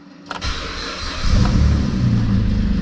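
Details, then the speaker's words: 2008 Saturn Aura 3.6L V6, 137,000 miles, after rod-knock repair, restarted on a half-dead borrowed battery: short crank, catches cleanly and settles into an even idle with no knocking. "all right man she's firing up nice that battery is about half dead"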